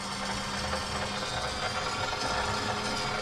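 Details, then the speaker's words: 2021 Ford F-250, 6.7 Powerstroke, after changing both fuel filters, key-on priming in 10-second cycles to fill the filter housing: a steady mechanical buzz over a faint hum. The lift pump is priming normally. "what is recommended is six 10 count so 10 second applications of priming basically turning the truck to the on position so we're going to do that now push the button and you can prop can you hear it"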